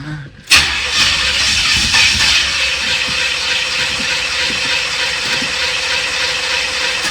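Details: 1986 Corvette C4, L98 TPI, rebuilt engine, about 132,000 miles, hot no-restart, after the starter was reinstalled: starter spins at an even cranking beat for about seven seconds but never fires, cause still undiagnosed.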